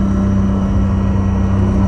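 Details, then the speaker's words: Bus with Allison V730 transmission, recorded on a test drive from the rear engine closet: steady high whine over the diesel drone rises with engine speed, not road speed. Transmission suspected, power steering hydraulic lines also under investigation; unconfirmed. "definitely related to engine speed not not road speed and it's definitely back here in this closet because if i shut this noise goes down quite a bit"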